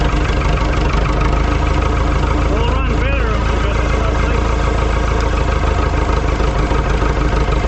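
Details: Ford 2701E 4-cylinder 240 cu in diesel (IEL) on a grapple log loader, running after sitting about 15 years with old fuel and bled injectors; steady even low diesel rumble at constant idle, no misses or knocks: normal diesel idle.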